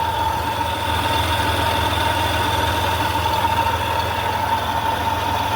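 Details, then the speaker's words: Mopar vehicle after radiator and thermostat replacement, battery reconnected, heater on high: a steady mid-pitched whine sits over an even idle and later fades somewhat; source unidentified, owner suspects exhaust or the heater blower. "Alright, so we still got some kind of weird ass noise. Y'all hear that?"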